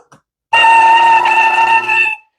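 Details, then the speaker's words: 110V RV fresh water booster pump, no power switch, plugged in dry with no water: sharp steady high squeal holding one pitch; running dry, which will ruin the bearings, should quiet once water flows. "now the reason it squeals like that is because it's dry you don't want to pump it dry that's going to it's going to ruin your bearings"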